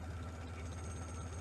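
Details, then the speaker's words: 1947 Farmall H after a new generator belt, new radiator hoses and a 6-to-12-volt alternator conversion, in cold weather: a very slow, even idle with a steady low thump and no knocks or misses; smooth and healthy, and the alternator is charging. "Well, here she is idling. She's doing a beautiful job idling. It's amazing."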